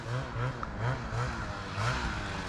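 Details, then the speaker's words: Freeride snowmobile, lost top-end power: uneven sputtering, choppy "farting" note that never reaches top rpm; riders suspect lack of fuel, an injector or a tired top end, unconfirmed. "it doesn't sound right and it kind of just sounds like it's farting all the time but i guess that's one way to describe it but yeah it's just not getting to the top rpms that it needs to be at"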